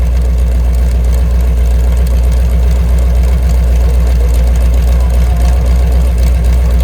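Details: Mopar 383 V8 with a roller cam and lifters after flat tappet lifter failures, mufflers removed, about 900 rpm: loud, deep open-exhaust rumble holding a steady, even idle. No ticking or knocking, the engine runs healthy.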